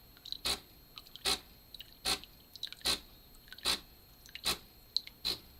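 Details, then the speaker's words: De'Longhi Nespresso EN520SL during descaling: even rattling pulses about 75 a minute with a sharp high chirp each time as the pump runs dry; water tank empty, lights then flash. "can hear the sound has changed because it's ran out of water. So in a minute the machine is going to start flashing its lights to let me know that the water is empty."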